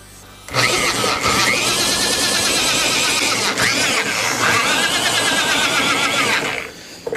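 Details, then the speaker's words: 1954 Elgin outboard being cranked: harsh churning for about six seconds that never catches; no spark. The coil tested good and the points look good; owner suspects demagnetized flywheel magnets. "why wasn't I getting a spark out of this thing the flywheel has magnets oh maybe the magnets demagnetized"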